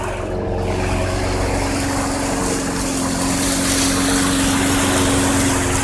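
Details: 2006 Craftsman 917.376160 push mower with 6.75 hp engine, found roadside and rusted out, running on 90-octane ethanol-free fuel: steady speed, even drone, no misses, surging or knocks; engine great though the deck is not reusable.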